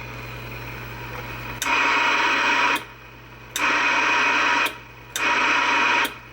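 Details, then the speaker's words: Kris Big Boomer tube amplifier, 6KV6 driver with three 6LQ6/6JE6-type finals, about 400 W, after replacing transistors, some installed backwards: loud hiss switching cleanly on and off three times; transmit/standby keying now works properly. "The other thing that was a pain in the ass was getting this thing to actually jump into transmit and standby the way it was supposed to."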